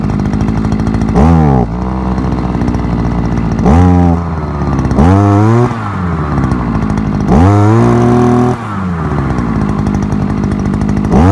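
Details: Forte two-stroke petrol brushcutter, outdoors after piston kit replacement for lost compression and knocking (owner blames bad or no oil): steady idle buzz with crisp throttle blips rising and falling cleanly; pulls evenly, healthy.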